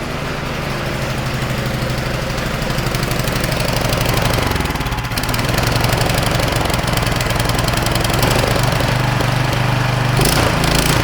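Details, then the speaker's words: Non-starting snowblower small single-cylinder engine on a trial BPR4ES plug, running briefly on starting fluid: uneven low chugging, catching and stumbling, smoking heavily. "I actually ran there for a minute it's really smokes a bit certainly smokes a lot"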